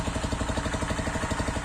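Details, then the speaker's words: Zanella ZR 150 pushrod single fitted with Honda XR 150 silencer in place of damaged original exhaust, revved: soft even idle about fourteen beats a second with light valvetrain tapping, much quieter exhaust; normal idle. "se van a dar cuenta que el sonido es mucho más alto que lo que está generando ahora, porque este silenciador de la XR150 realmente sí funciona, tiene mucha más aislación interna para que baje mucho más los decibeles que genera el motor."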